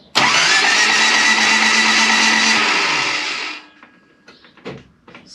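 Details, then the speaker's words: Mike's K70 cranking after it suddenly died with no noise: starter spins fast and even with no compression pulses; rocker gear not moving while cranking, so something simple is suspected, cause unconfirmed. "So when you crank it now, it has no compression at all."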